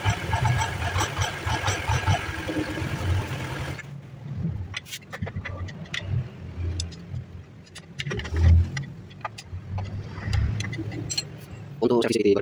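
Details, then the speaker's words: Carbureted Honda Vario scooter after CVT service for a mouse-like squeal (rusted roller housing and rear pulley bearing from water entry), reassembled with 19 mm socket: catches after a rough start, then low even idle with squeal gone, a few light clicks. "Nyalakan suara berdecit sudah hilang Alhamdulillah itu ada sih selesai"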